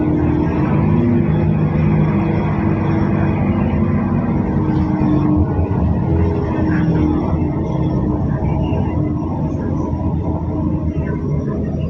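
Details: Mercedes OC500LE bus (SMB107L) heard while riding onboard: heavy, hollow low rumble with a boxy, metal-box resonance while moving. The engine previously sounded normal; abnormal noise, cause unknown.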